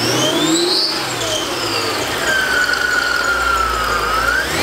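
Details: Mercedes E55 AMG supercharged V8 after installing a new water pump, fixed supercharger pulley and billet pulleys, which bring more boost: loud high supercharger whine rising and falling with each throttle blip. Strong but normal, healthy blower whine.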